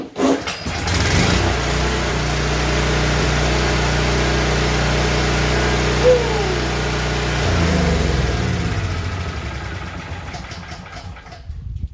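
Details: Honda GX270 generator, sat unused with bad gas and clogged carburetor, after repair: single-cylinder catches after a second on the pull, settles into steady even run with no misses or surging, then winds down.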